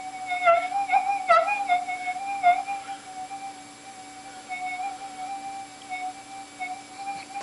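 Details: Minelab GPX4000 metal detector after ground balance modification, on Sensitive Extra with settings maxed, tracking hot rocks indoors: steady threshold tone with a few warbling bumps early that quickly die to a flat hum; hot rock tracked out fine.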